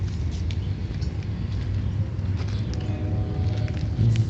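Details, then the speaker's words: Chevy Cavalier, warm, after thermostat coolant hose T replacement and system burp, with the temperature holding at the halfway mark (195°F). Low, smooth, steady rumble with no knocks, ticks or squeals: normal idle. "I'll fire up here and give you guys a little taste of how it runs"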